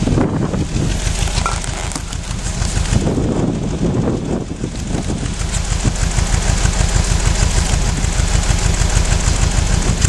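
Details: 1996 Nissan Almera 1.4: lumpy, uneven idle with irregular chuffs and stumbles about three a second, a bad misfire.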